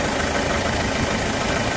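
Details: Diesel checked for suspected blow-by after heavy oil spatter with the oil filler cap off; steady, even idle with a dense clattery hum that never changes or surges, engine normal.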